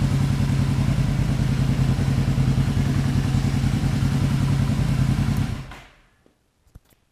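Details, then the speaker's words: 1975 Yamaha XS500 cafe twin after compression test (140/150 psi), rejet, carb sync and air-screw cleaning, warm: steady, even low burble at about 1,500 rpm idle, no misses or knocks, then switched off. "all right just so you know where this Idol is I'm gonna show you here we're looking at just above 1,500 and that's where idols supposed to be"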